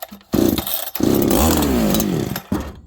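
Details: Farmertec 288 kit chainsaw, restarted on choke and fast idle: fires, climbs briefly, then sags, stumbles and fades out, won't take throttle; owner suspects a massive air leak after idle surging and a suddenly very rich run.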